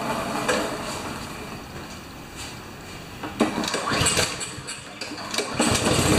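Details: Honda GCV190 engine on a neglected Craftsman mower brought in as a no-start, tried with choke after puffs of blue and black smoke. It catches and builds from a ragged, uneven sputter to a steadier, louder run; normal running after start.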